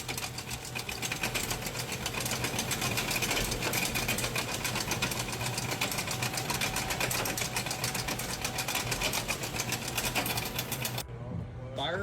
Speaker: Customer states, "My 2001 Nissan Frontier sounds crunchy when you put it in four-wheel drive."